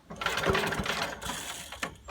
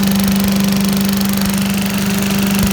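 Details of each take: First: 1980s Billy Goat vacuum small engine, old turpentine-smelling fuel replaced with fresh gas, carb cleaner sprayed: quick rope pull spins it but it never fires, no spark seen though it ran the day before; cranks but won't start. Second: 1980s Billy Goat vacuum single-cylinder engine after fresh fuel: steady buzzing speed, even drone, no stumbling; hard to start, owner suspects low compression, but runs cleanly once started; normal running.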